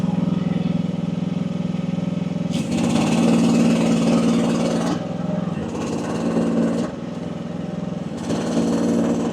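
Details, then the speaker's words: AGT WH12R 1-ton mini excavator diesel, relief reset to about 2300 PSI (near factory setting), digging; runs steadily, dips briefly as hydraulics load each dig then recovers without stalling: owner feels setting is optimal, normal operation. "I feel like that's optimal."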